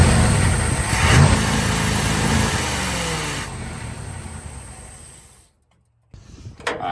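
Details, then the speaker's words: Abandoned 1980 Dodge Power Wagon W300 1-ton 4x4, sat for years, engine unknown; starter churns evenly about four turns a second but never catches; fuel filter bubbling, sucking air from tank, no fuel reaching engine; crank no start, fuel starvation. "so we're definitely not getting no fuel. It's bubbling in the fuel filter down there on the bottom, so it must be just sucking up air from the tank."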